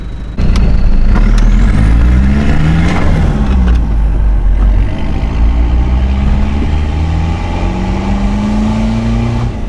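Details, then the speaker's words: Mitsubishi L300 Delica turbo diesel van after an EGR valve delete and boost/EGT gauge install, pulling under load: deep drone rising with revs and a turbo whistle. It made 9 PSI at about 700 degrees EGT, so it runs healthy and the wastegate works. "That was 9 PSI. So that's a good sign. We know the Delica is running healthy, wastegate's working properly."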